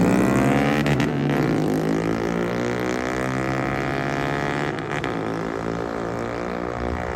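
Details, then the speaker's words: Drag car with tunable fuel map, lean and rich spots at part throttle: loud hunting and surging, pitch wandering without settling at idle; erratic running caused by the unplugged engine coolant temperature sensor. "This is why it was acting crazy. Engine coolant temp. The switch coming hooked."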